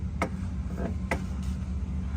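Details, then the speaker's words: Honda S2000 AP1 with ACT clutch, mic under the car against the release bearing, pedal pressed at idle: sharp irregular ticks and chirps over a steady idle hum; release bearing dry at its contact spot. "So the release bearing is behind here, and basically it's just dry in that spot for the bearing."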